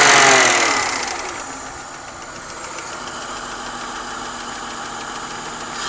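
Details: BMW 323i running with a fast, light metallic ticking/pinging from the top end, louder since the cylinder head was rebuilt and machined (valve job); cause still unknown.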